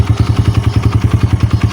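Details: Kawasaki KLX150 after overhaul (new connecting rod and side bearing, cylinder rebored using a TMX Supremo rebore 100 kit): steady single-cylinder idle held slightly high for lubrication, about eight firing pulses per second, no knock or rattle; former noise gone.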